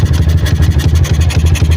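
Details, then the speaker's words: Honda Megapro/CB-based 240cc engine, 68mm piston, 66mm stroke, high 3mm valve overlap, PWK 28 carb (PJ 35, MJ 120, still mis-set); throttle cable still pulled, so quick, steady, slightly lumpy idle sits too high and is choppy from the high overlap. "seling gasnya masih ketarik. Suara langsamnya seperti ini teman-teman, karena ini saya tutup biar saya ngomong kedengeran."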